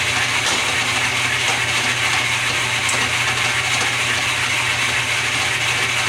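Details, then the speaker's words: Restored lathe with quick-change gearbox, long stored, running in direct drive: steady whirring gear mesh and light ticking from the gear train, even and unchanging; runs smoothly, back gears may need adjustment. "it's running a direct-drive with no problem I'm going to start it up and run it through its paces"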